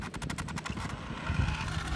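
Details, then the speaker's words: Traxxas Slash 4x4 VXL brushless with the optional high-speed pinion, full-throttle launch: rapid stuttering pulses that smooth into a steady run; motor cogging on launch, about 53 mph top speed. "alright here we go full speed right there you can hear that cogging"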